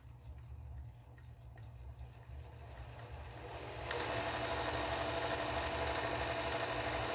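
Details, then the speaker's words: Singer 431G sewing machine with internal motor converted to low voltage, high speed and high torque, sewing denim after the drive gear was refitted in its correct position so it no longer drags: smooth, even, quiet whirr with no gear clatter, normal running. "there you go it's lovely nice and quiet and very powerful"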